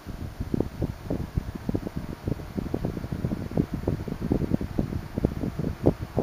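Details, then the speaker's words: 1976 Electrohome 30 cm (12-inch) desk fan with four pitched plastic blades, on low speed: soft, low whoosh of air with faint fluttering, no grinding or whine; runs quietly, with a few cracking sounds when it oscillates. "it's very quiet as you can hear but it makes a few cracking sounds like I said when it oscillates"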